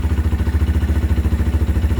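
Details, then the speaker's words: CFmoto Papio XO-1 125 motorcycle at idle: low, even rhythmic thumping about nine times a second, like the chain catching on something; owner suspects the chain is rubbing, cause not confirmed. "may sumasabit siya sa sumasabit siya dito guys Oh dito sa pinaka anan siguro kaya siya maingay"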